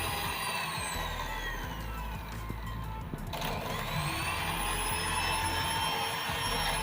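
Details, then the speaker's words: Hand cake mixer after repair of rough/groaning noise: smooth even whine and steady hum, no rough grinding; back to normal. "bisa didengar ya sangat halus ya sekarang tadi kan kasar sekali untuk suaranya dan sekarang sudah halus dan sudah normal"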